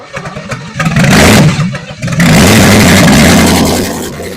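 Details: 1964 Chevy 283 small-block V8, budget rebuild with DIY porting, first run on a test stand: catches, stumbles briefly, then roars up and holds a steady high warm-up idle, no misfire noticed; healthy fresh engine.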